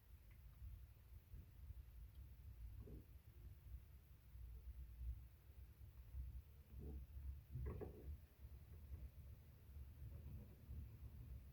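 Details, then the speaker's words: New Panasonic NR-BB53 (NR-BB53PV3WA) refrigerator: a quiet low hum broken by short croaking bursts a few seconds apart, like a frog inside. Intermittent croaking noise, cause unknown. "Olha aí, parece que tem um sapo dentro da geladeira."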